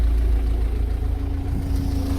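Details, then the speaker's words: MG TF petrol engine after restoration, idling about 15 minutes and almost up to temperature: steady, even low hum with no stumbles, no engine warning, manifold smoke gone; owner notes an unidentified mechanical rattle underneath. "okay right so she's been ticking over for about 15 minutes almost up to temperature oil starting to move so she's getting up to temperature still no sign of engine any engine warning"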